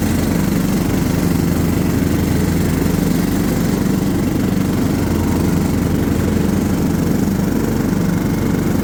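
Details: John Deere LT150 mower with replacement 15 HP Kohler engine, freshly swapped and mowing grass: steady engine drone with blade whirr mixed in, no knocking or stumbling; healthy.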